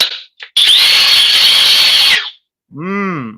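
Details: Milwaukee/Flex cordless drill comparison: Flex drill in turbo/high mode on a warm battery; high, fast steady whir about a second and a half, then quick spin-down; cold battery slows the drill compared with a warm one.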